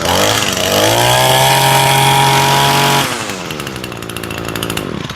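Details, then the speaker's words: Two-stroke weed eater started and warmed up before winter storage: clean, steady high buzz at full throttle, then a smooth drop to an even idle; well tuned, normal running. "That's a well tuned weed eater."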